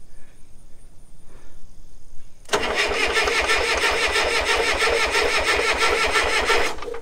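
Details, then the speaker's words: Late-1960s/early-1970s Clark (Michigan) 35 AWS all-terrain forklift with Perkins diesel, rebuilt starter, charged battery plus 12 V jump pack: cranks briskly at about three compression pulses a second but never fires; fan seen turning counterclockwise, suspected wrong rotation. "it cranks great that fan you know what i just noticed i wonder if that fan is turning the wrong way"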